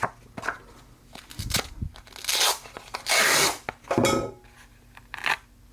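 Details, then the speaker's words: Sharpening a Geib curved grooming shear on a fresh 400-grit disc: irregular bursts of bright, gritty scraping, a noticeably different sound from the worn disc. The fresh disc is cutting properly and raising a burr. "Ah, yeah, you hear the difference in the sound? I'm actually doing something."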